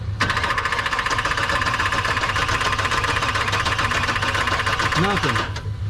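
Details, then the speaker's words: 1984 Chevy truck with HEI distributor, dead for 2 years: starter cranks steadily in a fast even chug but never catches; spark tester shows no spark at the plugs despite power to the HEI. "okay so there's no spark going to the sparkle okay so we know we didn't have any spark no spark later"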